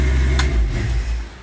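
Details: 1993 Chevy S10 with swapped 5.3 LS V8, 4L60E, carburetor, cheap eBay headers and dual exhaust, shut off with the safety kill switch; loud engine rumble cuts out abruptly and fades to near silence within a second; clean normal shutdown.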